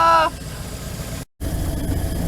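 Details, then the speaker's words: Old campervan started after sitting all winter, battery just reconnected: after a brief high tone it settles into a low, uneven idle with a short dropout and runs rough; cause unknown. "I'm not quite sure about the sounds I'm hearing. But it definitely doesn't seem to be running top notch, you know."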